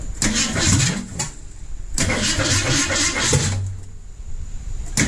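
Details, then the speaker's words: Ford Mustang engine's first start after sitting 20+ years, reinstalled after a water leak was fixed with new gaskets; it fires in uneven bursts, stumbles and dies repeatedly; timing still needs adjusting to keep it running. "so as you can see we got it running now we just need to adjust the timing so it actually will stay running"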